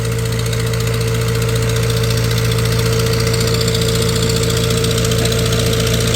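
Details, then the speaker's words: 1948 Farmall C tractor, former parade tractor, on a dyno, pulled down to 500 rpm: slow low idle with sharp puffing tick each firing pulse, about two per second; leaking exhaust manifold, replacement manifold needed. "And I pulled her down to 500 RPMs there for a while just to make her talk. But I do have to get a different manifold put on her."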